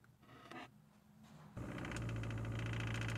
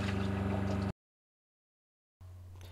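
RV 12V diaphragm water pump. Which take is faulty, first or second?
second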